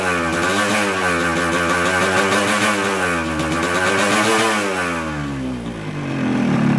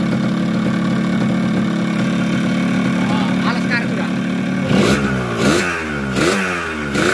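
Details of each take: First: Newly bought Yamaha RX King with a 125Z head, block reportedly rebored recently, before teardown: two-stroke revving with a harsh, rattly roughness over the exhaust note. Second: Yamaha RX King, bought with a very rough engine, fitted with a 125Z head; idling after teardown with new conrod and block and crankcase corners ground so the magneto spins freely. Smooth, even two-stroke idle with clean free-revving blips, no knocks; normal idle.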